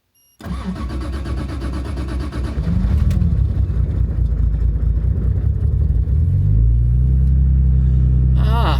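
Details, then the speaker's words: Car fitted with a new muffler that often won't start: engine turns over for a moment before catching, then settles into a steady low rumble and a rev; hard starting, long crank before catching. "See if it starts. It often does not like to. Here we go."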